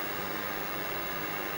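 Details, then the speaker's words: ColecoVision console running a Donkey Kong cartridge, powered on and reading the cartridge after reported power switch trouble; a constant harsh static-like hiss with no rhythm drowns out the game audio through the TV, likely RF modulator noise. "Boy, there's some horrible noise. I guess that's what we're talking about, is that noise. So, I guess that's the problem. This thing is a bit noisy."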